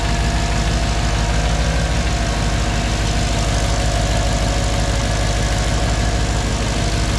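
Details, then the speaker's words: Mercedes C55 V8 with new intake spacers, in neutral, first start with the cooling fan unplugged: deep, loud, even burble with a steady beat and no misses or ticks; smooth, healthy idle. "that sounds like it should oh man what a relief okay that sounds great let's let it run for a little bit"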